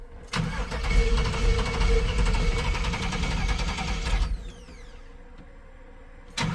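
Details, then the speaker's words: Chevy C10 on shorty headers with cheap new 2 1/4-inch exhaust on both sides, all tight: cranks, fires, loud steady rumble for seconds, shuts off, cranks again; no leak puffing or ticking; smoking thought from excess fuel; normal start. "So exhaust on both sides is completed. Now, with everything tight, let's hear what she sounds like. Probably no different."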